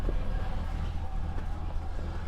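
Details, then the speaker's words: Dodge Monaco with Thermo-Quad carburetor, just started after carb work, kickdown issue: engine idling very slow and lumpy with uneven low thumping, sounding ready to stall; very low rough idle, mixture and kickdown screws need adjusting. "It's really low idle, holy cow. Oh, it sounds so bad. It sounds like it's gonna die."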